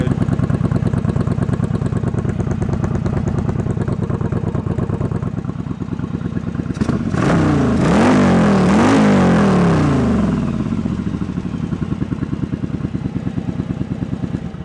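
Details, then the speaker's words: Yamaha Virago 1100 V-twin at idle after carb repair and synchronization: even, steady lope with a brief throttle blip, both cylinders pulsing equally with neither popping more, so the carbs are well balanced; intake elbows not yet refitted. "Again, just feeling the pulses of the two of them, and see that feeling the kind of even, that not one cylinder is popping more, or one cylinder is popping."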